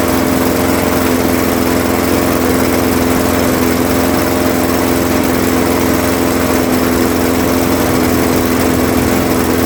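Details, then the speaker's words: Craftsman 21-inch mower, 5.5 hp Honda GCV160, running to warm the oil before an oil change, after a smoky first start, until fuel runs out: constant, even buzz at steady speed, no hunting, misfire or knocking; healthy. "We'll let it run for about 4 or 5 minutes. I think that'll that'll be good. That way it gets the oil nice and warm so it cools easier."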